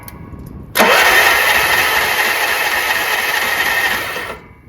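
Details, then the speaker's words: Troy-Bilt 30-inch rear-engine riding mower, starter cranked by jumping the solenoid with ignition on: starter catches with a quick rising whine, then spins steady and even for about three seconds; starter works fine, no-start cause still unknown. "I'm going to try to jump the solenoid again. Starter sounds like it works just fine."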